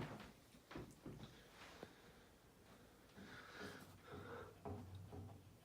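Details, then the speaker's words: Golden T "Champion" 20-inch box fan from the late 60s to early 70s, heavy steel blades: uneven hollow knocks during a long spin-down as a blade shifts on the hub from loose rivets. "And you'll hear when the fan slows down, the rivets or one of the blades moving around on the hub because of the loose rivets."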